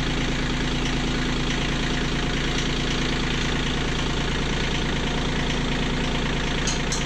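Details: Kioti CK20HS diesel tractor idling after injectors were cracked to bleed air: steady, low, regular chug with no stumbling or hunting, running smoothly. Owner still doubts the fuel pump and will test for overnight prime loss.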